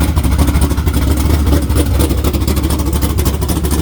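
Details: Naturally aspirated LS V8 in a Camaro with a cam under 240 duration and a carburetor, very healthy with good ring seal: deep, choppy lope with snappy throttle blips; strong, rowdy, healthy cammed engine.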